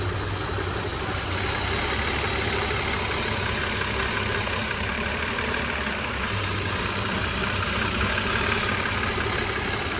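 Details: BMW E60 with N52 engine at idle with the oil cap off; constant airy hiss from the intake manifold area, and the PCV return hose to the oil pan leaks oil; owner suspects a blown PCV valve.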